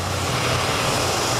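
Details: 2022 Toyota Avalon idling steady but dull with a slightly uneven low beat; cylinder 5 misfire detected plus a rough-idle code; the throttle is found dirty.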